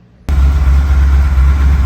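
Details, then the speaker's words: 1979 Ford Bronco 351M, outside idling and warming up before carburetor fine-tuning: deep, even idle with steady low rumble, no misses or knocks; sounding good though a little smoky. "Have the old girl out of the garage, idling and warming up, so I can fine tune the carburetor, but she's sounding pretty good."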